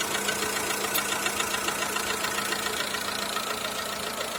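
Steady idle with a quick light ticking-knock, about 3–4 per second, sitting over the engine hum; an engine knock of unknown origin.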